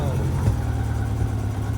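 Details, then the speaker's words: 1987 Honda GL1200 after a carburetor rebuild. Low, lumpy idle with occasional soft pops; owner suspects an ignition problem. Intermittent popping at idle, cause not yet confirmed. "Alright, hopefully you can hear that popping. I'm suspecting I have an ignition problem somewhere along the line."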